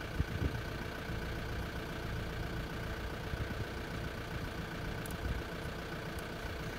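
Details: Makita top handle climbing chainsaw after ignition coil replacement, after oiler adjustment: small two-stroke ticking over smoothly and steadily, no hunting or misfire, clean idle; air filter missing.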